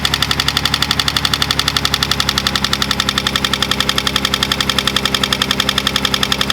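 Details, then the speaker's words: Datsun 280Z idling at about 1500 rpm while fitting a Mishimoto fan controller; its green wire touched to 12 V positive makes the radiator fan kick on: steady fan rush with an even pulse about four per second, working normally. "So if you just give it 12 volts, it'll make the fan kick on. So I went and just touched that to the positive terminal, and then the fan did kick on."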